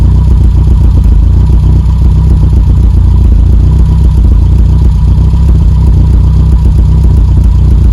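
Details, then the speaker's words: Petrol engine with a stage 1 kit idling with 34 degrees of ignition advance, far too advanced, popping and spitting unevenly through the exhaust; the over-advanced timing causes the popping. "one of the things you notice there is the popping on the exhaust if you have a look at the Charming setting the reason why we're popping on the exhaust is because we've got 34 degrees of ignition Advance when that's idling which is way too advanced"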